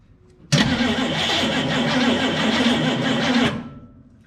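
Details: 1963 Chevrolet Impala SS V8, sitting 35+ years, spark plugs back in, fuel shot in: starter churns slowly with a labored rhythm for about three seconds without catching; tired battery causing slow cranking.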